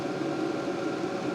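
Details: LDHTHOPI diesel heater bench-tested in a shop, not yet installed: steady low fan whoosh with a faint constant whine, no rattles or surging; outlet about 212°F, too hot to hold. Normal running.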